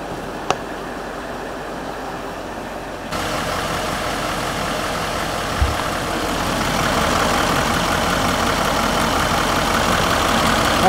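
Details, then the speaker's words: Range Rover L322 4.4 TDV8 diesel, first start after inlet manifold EGR-gunk cleaning and service, warming up with coolant at 72 and oil at 59. Catches and settles into a steady, even clatter with no hunting or misfire; normal idle. "the sound of a pretty happy tdv we're just using the IID tool to monitor the uh coolant temperature and the engine oil temperature while she idles away"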